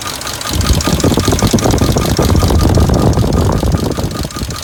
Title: 2003 Dodge Durango V8 4.7L engine rattling noise